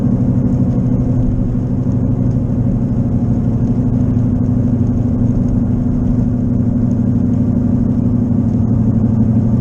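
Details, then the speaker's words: Worn left wheel bearing, unrepaired, long mistaken for an engine knock. Constant rumbling drone over tyre noise at about 55 on wet roads, getting louder and louder as speed rises. It shows under right turns. "as I start moving faster you can tell the noise gets louder about 55 and it's just getting louder and louder"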